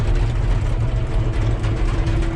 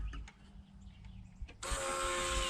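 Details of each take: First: John Deere 650K dozer diesel after fuel filter change for a low fuel pressure warning: deep, steady idle, even low rumble, no stumbling or hunting; pressure now 5 psi versus zero earlier, clogged fuel line suspected. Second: John Deere 650K dozer with low fuel pressure code, about 4 psi at idle dropping to zero when ramping up off decel; steady high electric whine with faint buzz from the transfer pump, suspected cause: fuel transfer pump whine.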